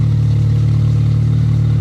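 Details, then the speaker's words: Honda Civic idling after installing a 10-gallon fuel cell with new fuel pump, relay and homemade lines: steady even idle, no misses or knocks, with a constant loud fuel pump hum over it; normal idle, small fitting leak found. "Oh man, she ran so easily. Yo, she's even running really nicely. I just don't like the sound of the fuel pump. It's so loud."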